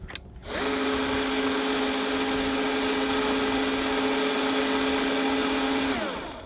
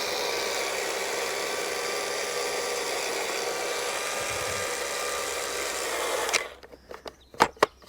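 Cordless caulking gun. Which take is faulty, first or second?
second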